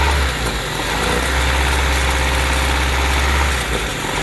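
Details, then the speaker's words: Honda Civic with surging idle: steady low idle drone that shifts and dips as brake cleaner is sprayed around the intake manifold gasket, sealing the vacuum leak there. "so as you heard the idle change basically what's happening is that vacuum leak is being closed up by the brake clean"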